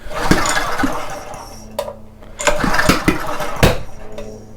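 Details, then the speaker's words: Homelite 2500 W generator that would not start, on starting fluid: several recoil pulls with a couple of short sputtering fires that die at once. Low compression felt, traced to a stuck valve; intermittent spark or a faulty on/off switch also suspected. "It doesn't feel like there is a lot of compression though. There is some, but I don't think there's a whole lot."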